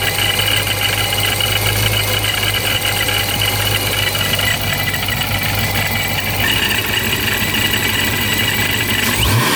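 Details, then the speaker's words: Procharged Dodge Scat Pack 392, warm idle on an 81°F day: steady high whine and gritty rasp over a low hum; supercharger gear noise of unknown cause, possibly normal, being taken to Sirius HP for inspection. "So it still sounds about the same. I'm not really sure what's going on with it. Some people say it's normal, some people"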